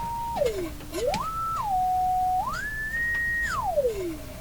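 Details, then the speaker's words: Roughly 100-year-old speaker tested, microphone inches away: clean whistling tone sweeping down and up with no buzz or rattle, with an old radio sound, audible to about 10 kHz; speaker reproduces tone normally. "Wow. Sounds pretty good, actually."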